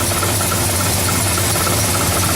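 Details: 1970 Oldsmobile Cutlass, cold start after sitting a while, walk-around: loud, busy rumbling cold idle with a metallic rattle over it, the exhaust header knocking against the frame; header needs adjusting.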